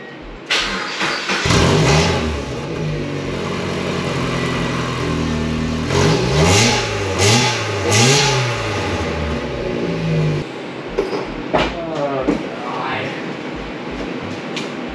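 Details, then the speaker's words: Mazda NB Miata with a modified NA exhaust kit, no muffler or silencer fitted, weak battery: revs climb and fall with a harsh, loud, buzzy rasp on every blip; exhaust far too loud. "that sounds terrible it's kind of loud okay that sounds awful"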